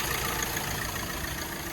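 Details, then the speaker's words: Hyundai Creta diesel, engine bay, after repair of injectors jammed when fuel ran out and the system ran dry: even, steady diesel idle with smooth consistent clatter, no knocking or ticking from injectors; normal idle. "तो देखिए आवाज़ देख सकते हैं आप, कोई knocking वगैरह नहीं है इंजेक्टर वगैरह की।"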